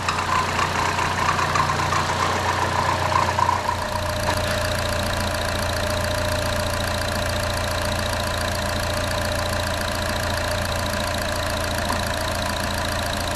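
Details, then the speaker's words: 2014 Chevy Cruze 1.4L turbo, first start after engine replacement: steady, even, smooth idle with a light squeaky belt chirp expected to fade as it warms; no knocking, healthy. "It sounds like an engine with 1,600 miles on it, Yeah, except for the squeaky belt."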